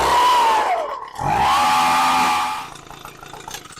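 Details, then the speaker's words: Echo PB-250 two-stroke leaf blower, new coil, spark arrestor clear, starts even without air filter: buzzy revs stall in their climb and settle at the same ceiling, won't go past about mid-throttle; carburetor taken apart next. "And again, it doesn't go past maybe mid-throttle."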